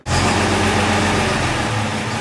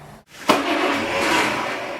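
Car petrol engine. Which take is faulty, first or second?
first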